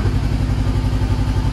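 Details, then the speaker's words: 2013 Honda CBR500R twin, salvage bike fully restored, just fired up quickly after fuel pump priming; idles with an even, steady low thump, no knocks or rattles, runs healthy. "yes there we go and it sounds so good wow"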